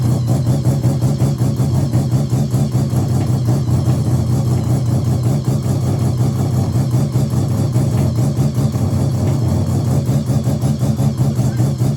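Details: Mazda RX7 bridgeport 13B rotary, EFI conversion on borrowed Microtech ECU, untuned, on 700cc injectors: choppy uneven idle with rapid pulsing exhaust, no throttle blips; rough idle needing a tune.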